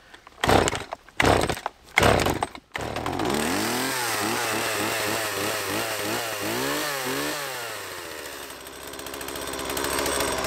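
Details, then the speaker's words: Stihl MS 180 chainsaw, about 8 years old, after long storage: three quick pull-cord rips, then the cold two-stroke catches and hunts in speed before settling into an even idle; warm it briefly before revving, normal warm-up. "прогреться чуть-чуть сразу газовать не надо Вот и все самое тяжелое завести ее после долгого простоя"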